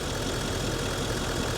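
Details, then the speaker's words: Nissan Titan XD diesel with Bosch CP4 high-pressure pump, after repair, with the pump running: steady even diesel idle with a smooth low rumble and none of the earlier howling; healthy. "So if you want we can turn on the pump now and you can hear >> hear how it sounds so much better now. >> You don't hear it at all?"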